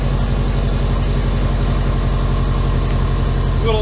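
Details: Subaru Impreza boxer engine rebuilt with SOHC heads, first start after over 2 years: steady even low rumble settling into a smooth stable idle, no misses or knocks; idle just dropped, check engine light on. Normal idle.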